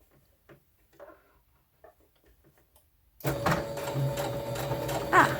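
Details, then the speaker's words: Sewing machine after a weird noise, now rethreaded and turned off and on again: a few seconds of quiet, then fast, even stitching chatter over a steady motor hum; sewing smoothly and normally. "better okay it's much better i don't have to unscrew"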